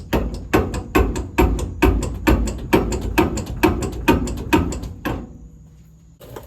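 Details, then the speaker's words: 1977 Ford 4x4 truck rear shock absorber with no bushings: the bottom bolt knocks in the eyelet and a bare washer hits at the top. This gives sharp, hollow clunks about twice a second as the shock is worked, and clunking over bumps. "you got the axle just sitting here, the bolt hitting up and down in the eyelet at the bottom of the shock here, and then no bushing, just a washer hitting at the top there."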